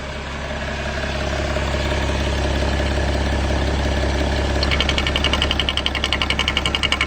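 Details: BMW E60 M57 diesel idling: sharp, regular metallic knock appearing only with the oil cap off, caused by the vacuum pump; harmless to the engine.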